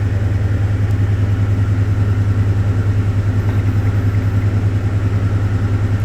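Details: Deep, even idle on a 2006 Ford F-150 just after installing a new cylinder 3 coil pack to fix a P0303 misfire code; a steady low pulse about twice a second with no stumbles, check engine light cleared.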